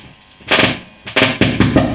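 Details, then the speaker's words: Marshall JTM45 MkII model 2245 guitar amp that pops and buzzes after a few minutes on: loud popping and crackling whenever a sensitive blue wire to pin 9 of V2 is lifted, an intermittent connection. "i was just messing around with some wires here and notice that this wire here is very sensitive if i lift it up you hear that"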